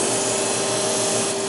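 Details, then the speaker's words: Xerox Alto disk drive during head realignment with a special alignment cartridge: loud, steady hiss and rasp with two fixed whining tones, no rhythm; something scraping on the spinning disk, cause unknown, surfaces look fine. "Okay. It just makes scary noises. Yes. Well, we just diagnosed one of the weirdest failures I have ever seen."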